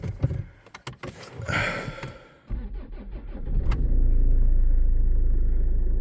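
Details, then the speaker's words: Land Rover Freelander 2 after fixing a throttle body whose internal cog had disintegrated and was full of oil: some clatter, then catches and settles into a steady, even idle with no hunting or stumble; normal start and idle. "Oh, this thing seems happier."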